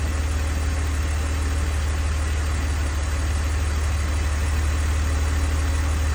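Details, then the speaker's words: 2002 BMW 330Ci six after rear subframe work, plugs retorqued and coils swapped to chase an earlier ticking; it is still losing coolant. A steady, even low hum with no ticking or stumble once the secondary air pump stops; a smooth, normal idle. "but that sounds nice and smooth to me"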